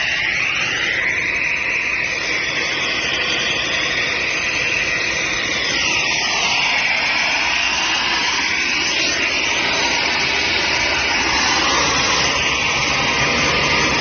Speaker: Here we have a Gardner Denver Champion 40 horsepower rotary screw air compressor. Got it hooked up to 480 volts, 3-phase power, and we're gonna run it here and show you that it works.